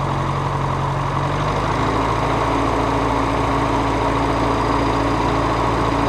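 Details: Farmall Cub tractor started after repairing the broken exhaust pipe snapped off in the manifold: steady even engine beat settling after a brief early shift; smooth running with no knocks or exhaust leak puffs.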